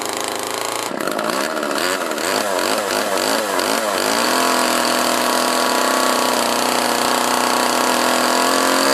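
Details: Homelite LX30 (Super 2-type) chainsaw after a carburetor kit (K10-WAT) replacement, started and warmed up, air filter refitted; it fires, blips several times, then holds a clean, steady high buzz without stumbling, so it runs well.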